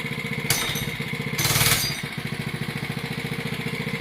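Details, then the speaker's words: Oryxearth 105cc gas mini bike, newly assembled, run switch moved to run: two quick throttle blips snap up cleanly, then fall back to a crisp regular idle; sounded pretty good, normal throttle response. "Alright, can you blip the throttle a bit? Hey, that sounded pretty good. Blip it again."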